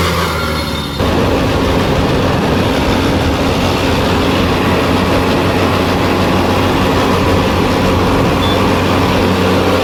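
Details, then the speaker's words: VST Shakti MT 270 small tractor before gearbox repair: loud noise in 2nd and 3rd gear. Constant rough whining growl under a steady diesel drone, never easing; worn gears and bearings; gearbox gear whine. "आपल्या ट्रॅक्टरच्या दुसऱ्या तिसऱ्या gear मध्ये आता फार जास्त आवाज येतो आणि आता पण आवाज येतो बघा आता टरर आवाज येतो"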